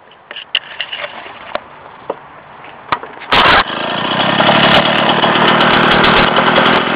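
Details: 1967 Ski-Doo Olympique Rotax 247 10.5 hp two-stroke after bench rebuild (honed, new rings, crank bearings, combined Tillotson HL carb): a few pulls, then catches and settles into a steady healthy buzz; carb still needs adjustment.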